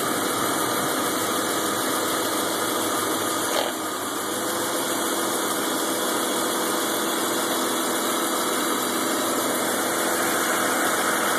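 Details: 2000 BMW 528i sport, cold start: uneven, lumpy idle that goes away as it warms; spark plugs recently changed and the service engine light is on.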